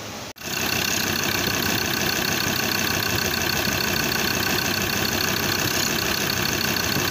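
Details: 2015 Ford Ranger 3.2 L diesel after drive belt replacement, started to check the new belt: engine fires and settles into an even, steady diesel idle with no squeal or chirp from the belt.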